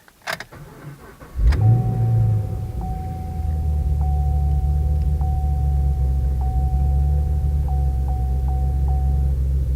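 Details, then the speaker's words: 2013 Chevrolet Camaro LS3 after new NGK TR6IX spark plugs and refitting the forgotten coil boot: cranks, catches quickly and settles to a steady, even idle with no misfire; runs satisfactorily. "That sounds quite a bit better. Okay, so I'm going to do my follow-up testing, but everything seems to be working satisfactorily."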